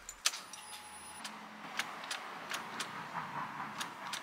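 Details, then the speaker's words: Car engine that failed to start several times before and now won't start at all; key turned: faint light clicks, two or three a second, over key rattle, as if something is stuck, and no cranking. A relay is suspected over the starter; jump-start tried first. "Bila saya pulas kunci, bunyi tu seolah-olah macam ada benda yang lekat."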